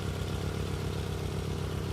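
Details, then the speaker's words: 40-year-old Nissan 200SX S12 single overhead cam turbo engine at idle: uneven lumpy beat with an intermittent miss on cylinder 2 and an occasional cylinder ping, suggesting some fuel getting through; running down a cylinder, cause unconfirmed. "I don't know if there's enough audio quality to tell, but you can actually hear that cylinder ping every now and again. And that tells me that we've probably got a little bit of fuel coming through there."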